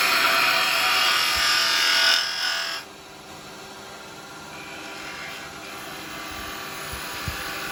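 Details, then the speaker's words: Record Power 1/4" spindle gouge, before shortening, cutting on a lathe: shrill high screech over the cutting hiss for two seconds, then it drops away; chatter blamed on a too-long flute, which needs shortening. "but I can hear and I can feel I can hear it screeching I can feel it a bit screechy and it is literally because it's too long a flu you've got too long a flute on it"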